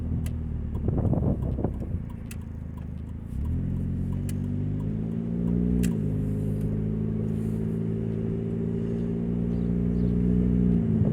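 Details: 2000 Nissan Altima, an old car owned since 2010, while driving. A deep, raspy rumble that swells as the car pulls away and rises with revs, from an exhaust leak at the braided flex pipe, before repair.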